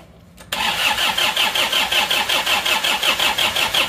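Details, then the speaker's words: Isuzu Panther diesel, first start after broken crankshaft, engine rebuilt twice, radiator leaking: starts at once into harsh hard metallic clatter about 160 beats a minute; injection pump mid-position over-fuelling, regulating valve tapped in too deep. "Ini posisi bospom di tengah-tengah masih kefuren ya, terlalu full, suaranya agak kerang. Ini karena ternyata setelah saya lihat ini bagian regulating valve ini diketok terlalu dalam ya, diketok terlalu dalam, efeknya itu bospomnya menjadi 4, jadi seperti itu."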